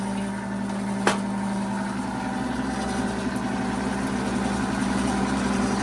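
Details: Rebuilt 90-year-old gas pump running on diesel: even motor hum with a steady low tone and one light click early on; it runs smoothly.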